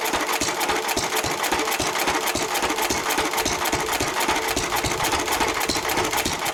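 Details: 1923 3.5 hp Emu (rebadged Hercules) stationary engine, first start in 20+ years after oiling a sticking magneto/exhaust valve linkage; quick, mostly even popping about three and a half firings a second, crisp and steady, runs pretty well.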